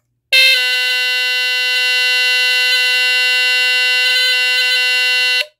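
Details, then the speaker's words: Sunbeam Centurion 45-31 smoke detector (rebranded Cerberus GuardION FB-1, about 1978), Duracell battery, second test-button press: one loud steady shrill tone about five seconds, cut off cleanly; horn works, relatively healthy. "um this one actually kind of sounds kind of healthy um relatively but yeah one more test"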